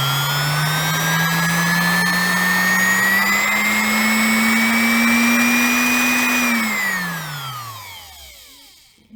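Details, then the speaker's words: Refurbished 1972 sewing machine electric motor, 1.3 A, cleaned commutator and lubricated, bench test via pedal current regulator at full speed: smooth whine climbing to high even top speed, winding down cleanly without rattle or scraping. "I think the sound gives you a very good idea how fast this thing can spin"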